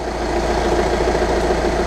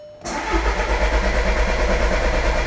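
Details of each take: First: 2013 Jetta TDI diesel after auxiliary fuel pump replacement, fuel system primed: steady even idle clatter with no misses or stumbles; runs smoothly, no leaks. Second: 2013 Jetta TDI after auxiliary fuel pump replacement and fuel system flush cranks steadily for about four seconds at roughly three beats a second before catching; extended cranking before start.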